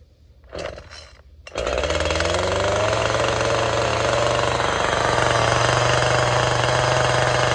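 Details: Chainsaw for carving: two short pulls, then it catches and holds one steady high buzz at high idle/throttle that barely wavers. Consistent chain speed, quieter than varying the throttle; running clean.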